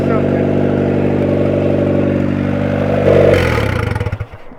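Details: 1994 Honda Civic EX with freshly rebuilt engine, first running after almost 2 years, started via jumper wire before first drive: even hum with short rev-up near the end, no knocking or rattling; normal running.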